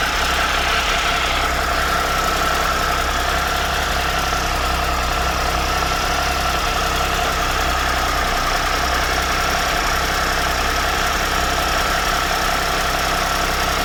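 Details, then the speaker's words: 2013 Triumph Tiger Explorer, 34,000 km, after replacing cam chain, hydraulic chain tensioner and exhaust header gaskets: smooth even idle with only a faint light top-end tick, less noisy than before; normal idle. "so right now the engine is very less noisy and it doesn't make any like excessive ticking noise after this this replacement"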